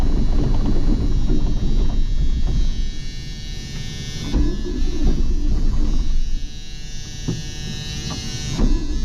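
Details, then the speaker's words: John Deere 8820 combine diesel started after sitting, in neutral with the e-brake on: it runs unevenly, surging and dropping with irregular pops, sputtering instead of idling cleanly; the owner suspects the fuel ran back. "Well, it fired up, and then it spit and sputter, and I just primed it up, so I think the fuel might have ran back a little bit."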